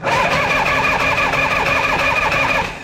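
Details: 1976 Harley-Davidson FLH after a 10-month restoration, rear jacked up and in neutral: a quick starter test before fuel is added, checking oil pressure. Steady, quick, even chug of cranking without firing, with no catch or grind. Normal cranking; oil pressure confirmed.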